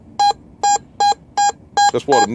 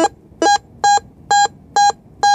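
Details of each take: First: Whites MX5 metal detector in two-tone, full sensitivity, auto ground balance: crisp repeated mid-pitch beeps about every half second over the nickel, even and consistent; correct nickel tone once working right after iron. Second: Whites MX5 metal detector in two-tone, full sensitivity, auto ground balance, sweeping iron then a nickel: steady mid-pitch beeps about twice a second, then a lower tone lingers and hangs on; owner suspects ground tracking.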